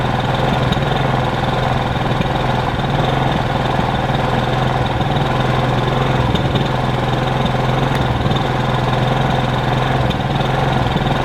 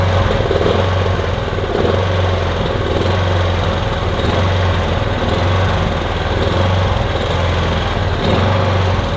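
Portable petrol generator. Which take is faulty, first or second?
second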